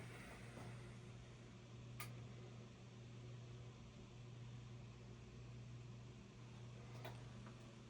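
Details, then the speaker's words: Whirlpool-built top-load washer after control board replacement for constant pump humming: plugged in, a few soft clicks show the board powering on, with no pump hum. Normal power-up. "You heard a few clicks. That's just telling you that the board and everything is on."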